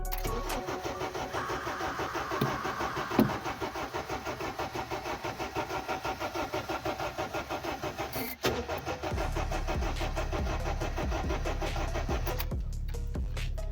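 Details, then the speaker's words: Honda Civic 8th gen no-start with the fuel pump working and gas present: the starter cranks in a steady, even churn of about one or two beats a second, but it never catches. "it's not fuel like the fuel pump is working the gas is working it's got gas so we got to keep trying and see what we could get with it"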